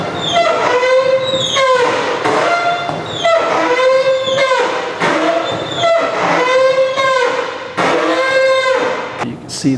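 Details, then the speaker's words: Roll-up garage door with rusty spring, after rust penetrator didn't help, before white lithium grease is applied: loud high-pitched squeal rising and falling with each cycle, owner fears something may snap. "see if we get this thing quieted down cause i'm afraid something's gonna snap in there the way it's making noise right now"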